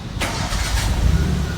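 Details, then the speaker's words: Maruti Suzuki Gypsy starting after repair on about 10 litres of fuel, in neutral: short self-crank, fires right away, rpm flares up then settles to steady idle; normal healthy start. "हाँ RPM एकदम ऊपर फिर नीचे, यही चीज तो मैं चाहता था भाई साहब।"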